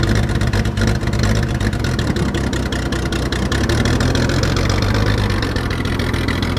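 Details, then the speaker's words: 1944 Chevy Blitz WW2 army truck, unused for about 30 years: loud, uneven running with ragged popping beats and no smooth rhythm; fuel starvation as it runs out of petrol. "but the reason that's so loud is there's no fuel in it and it spluttered out i thought i killed it but it just splotted off for now it's ran out of petrol"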